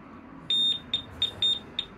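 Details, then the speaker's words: Alarm on a 1997 Honda Pan European ST1100 ABS, hotwired after sitting for years, powers up with five sharp, high-pitched beeps in about 1.5 seconds, two held slightly longer, as it arms; it has a motion sensor. "I expect we'll get deafened when we do this and if we don't we'll count our lucky stars there's a beep"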